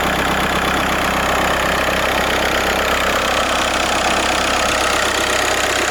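Steady diesel idle with a constant rattly hiss and whir riding over the clatter, no change in speed; points to a failing alternator.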